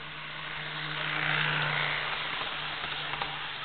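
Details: Jouef Amtrak RTG Turboliner model train on first test run after rebuild with new motor and Kato F-3 drive replacing worn-smooth worm gear, about 50–60 scale mph: smooth even motor hum, steady gear whir, light rail clicks, no grinding; runs normally.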